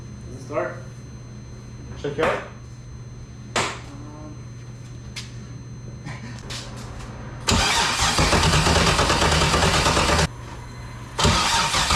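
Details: BMW E46 with LS6 V8 swap, first start attempt after sitting a year: starter spins the engine in two long, steady bursts with no firing or catch; cranks but won't start, cause not confirmed.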